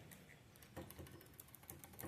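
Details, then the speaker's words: 1997 Harley-Davidson FXDWG Dyna Wide Glide: faint irregular clunks and taps each time bars are rocked by hand; riser bushings are shot, letting bars shake. "oh these bushings are shot I don't know if you can see how bad that's shaking but bars a little Lally clunking because these bushings these uh Riser bushings are wiped"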